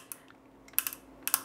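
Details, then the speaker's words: 3D-printed drive gear for a motorised 737 throttle quadrant, printed at 10% infill instead of 100%, gently nudged: a few sharp dry crackles in two short bursts as it delaminates and cracks inside. "and if you just gently nudge it because it's at 10 you can hear it delaminating and it's just cracking inside"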